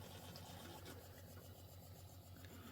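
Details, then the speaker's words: APEC electric-pumped reverse osmosis drinking water system for low-pressure homes, booster pump motor after about 5 minutes running: faint steady low hum with a soft even rhythm, super quiet, nothing rough; normal. "The motor is super quiet. It's beautiful. You can't even feel it running."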